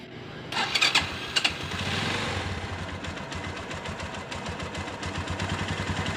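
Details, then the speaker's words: Minerva MX 150 flood victim, fully rebuilt with new standard Megapro piston after very rough noises: few sharp cranking clicks, then catches to an even, slightly tappety idle; fairly smooth now, typical vertical-cylinder sound. "piston tegak atau piston vertikal seperti itu tidak bisa halus 100% apalagi hp-nya HP murahan jadi suaranya yang kasar dan yang halus kadang tidak terlalu beda lebih sama tapi ini sudah lumayan halus dibandingkan dengan yang kema"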